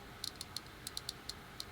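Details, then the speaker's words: RC crawler with OMG 80 kg direct-power steering servo under load (not when lifted); sharp irregular Geiger-counter ticks about six a second; servo nearly died on tester and sounds failing but still works. "Tell me that's not a Geiger counter. It made a series of horrifying noises that would ordinarily indicate the death of a servo, but I mean, it sounds like a 9i mod now, but it still works."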